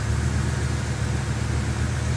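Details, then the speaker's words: BMW M5 misfiring at idle after a slight rev, fault codes claiming cylinders one and two; plugs, coil packs swapped and bank injectors cleaned without fix: lumpy, uneven idle stumbling irregularly; clear misfire, cause unknown. "the weird thing that's happening now is if you rev the engine just a bit you can hear it starting to misfire when you let it go major misfire it's claiming cylinder one and two"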